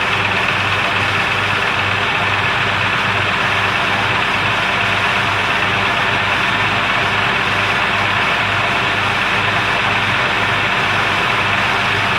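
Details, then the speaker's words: 2002 Jeep Grand Cherokee Laredo after PCV valve and vacuum hose replacement: steady, even idle with smooth low pulse, no ticking or clicking as before; normal idle. "i don't hear the clay clint like it was before"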